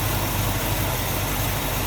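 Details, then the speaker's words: 1965 Ford Mustang coupe, A-code 289 V8 with Edelbrock 4-barrel, automatic, Pertronix ignition, new plug wires, heard at the open engine bay: even, steady low idle rumble, no misses, knocks or ticks; smooth, healthy. "Here, how smooth that runs. Nice and tidy and"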